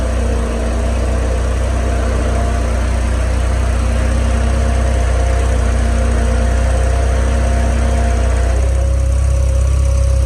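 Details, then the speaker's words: Starquest at idle after upgrading to aftermarket electric radiator fans and rewiring the thermostatic switch: steady low idle with an even rushing whir of fans, no rattles or speed hunting; all fans come on, running normally. "so now with just switching the wire from this one to this one all of the fans come on"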